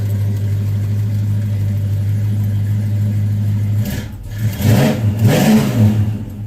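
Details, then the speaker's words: Small-block V8 fitted with a big-block starter, its lifters sometimes tick and have previously stuck: a deep, steady low idle with throttle blips and no lifter tick heard now. Runs well, normal idle. "Lifters are actually cooperating nicely. This thing runs so good."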